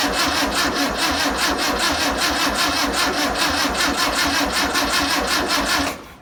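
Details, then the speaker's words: 1962 VW Type 2 bus engine, sat over 40 years, with spark, new belt, cleaned points, fuel poured in by hand: fast even chuffing about five beats a second for six seconds, then abrupt stop as the poured fuel runs out; runs on poured fuel. "let's put some fuel in it if I can get over there oh yeah she's thirsty what do you think let's try that and see what happens"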